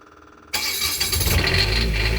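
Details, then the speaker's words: Onan 7500 diesel generator (HDKAJ) in a 2001 Coachmen 380 MBS RV, about 50 hours, started with button held through preheat before oil service: silence, then catches instantly into steady even running; normal start. "I've run this generator extensively already. I've probably put about 50 hours on it since I bought this thing. And it just purrs like a kitten."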